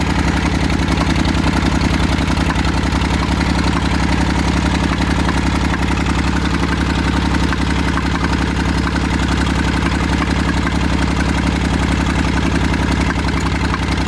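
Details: Massey Ferguson 35 three-cylinder diesel, seized 20+ years in the woods, tow-started in third gear high after the starter failed; it fired after about 300 yards of building compression and heat. Loud, steady chugging of roughly 220 pulses a minute, no knocks: normal diesel running.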